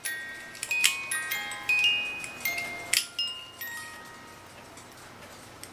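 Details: Pre-1970 cuckoo clock music box: a few chiming notes, then the tune slows, fades and stops; broken tooth on the governor gear makes it stall, replacement governor needed.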